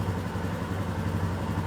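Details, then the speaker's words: Royal Enfield Himalayan single after rebuild with new Hitchcock valves, replacement camshaft and shimmed oil pump drive chain: even steady idle thump, no ticking or rattle; normal idle, rattling gone. "now all the people that say Himalayas and Royal enfields they all rattle no they don't this one don't"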